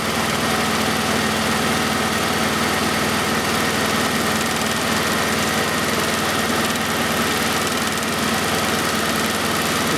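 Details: 1991 Oldsmobile Cutlass Calais 2.3L Quad 4 DOHC idling during injector-circuit testing of cylinders one and four: rough, uneven idle with a loose irregular beat as one cylinder drops out; misfire from a shorted injector.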